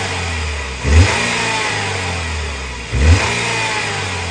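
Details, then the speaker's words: Nissan Qashqai auction car, engine revved in two quick blips over idle after the accessory belt was removed and refitted. Revs rise and fall cleanly with no squeal; the suspected tensioner squeal won't reproduce. Everything sounds perfect now. "now I'm really confused because I can't make it make the noise and everything sounds like a Swiss watch sounds perfect now"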